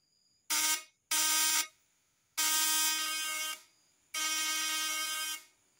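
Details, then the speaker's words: New, good condenser tested with breaker-point ignition: four clean even buzzing bursts of vibrating points, steady pitch, no rough growl; output exceeded 250 V AC. "suaranya langsam atau kenceng dan tidak ngorok"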